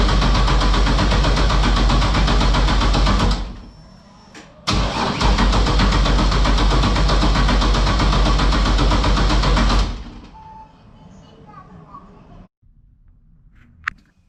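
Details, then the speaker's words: LS-swapped Toyota GT86, 5.3 V8 with ported heads, after a fire shorted a wire to the ECU: even starter churning about four beats a second but never fires; MAP sensor was found unplugged, and once plugged in it started immediately. "ah i have my map sensor unplugged somehow so i plugged it in and started immediately"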